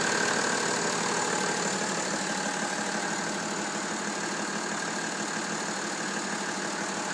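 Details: BMW M57 diesel idling with a steady clatter and a light regular tick of about three per second over the hiss. Abnormal engine noise, cause unknown.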